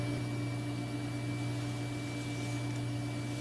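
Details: Digital picture frame computer running Windows XP, power supply fan after acclimating to a cold house: steady low hum with faint constant tone, no rattle or ticking; earlier fan noise gone, running smooth.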